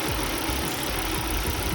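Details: 2003 Volvo V70 2.4 four-cylinder shaking at idle: uneven, stumbling idle with irregular beat and occasional thumps; misfire, code 3502 read, ignition coil found failing (injector or spark plug also considered).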